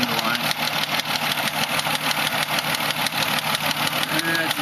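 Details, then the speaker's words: 2005 Mazda 6 3.0 V6 Duratec, about 122,000–123,000 miles, oil freshly changed without helping: sharp patterned tick, about two a second, from the engine while idling and revved to 2000–2500 rpm. Owner unsure, wonders about a valve problem. "it's not like a constant tick It's like got like a pattern to it but it's coming from in here"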